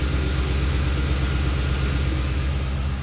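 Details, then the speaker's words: 2008 Ford Expedition V8 with 176,000 miles idling smooth with a steady, even low rumble, slightly high just after starting, with no stumble; rough idle and P0301/P0201 codes fixed by replacing a bad fuel injector. "part's smooth. We're gonna go for a drive in a minute. But mainly, that worked. Bad fuel injector."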